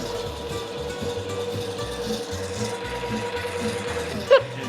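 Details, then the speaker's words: Homemade scrap-built miter saw elevator's motor-driven gearbox hums steadily under load going up, then a sharp clunk as the drive stops dead; gears locked up; only works sometimes. "Oh, wow. Okay, it locked itself up."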